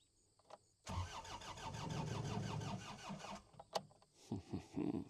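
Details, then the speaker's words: New Holland L218 skid steer that sat two to three months without starting: the starter churns in quick even pulses for about two and a half seconds and the engine never catches; two relays were later found bad. "All right. So, it doesn't want to start."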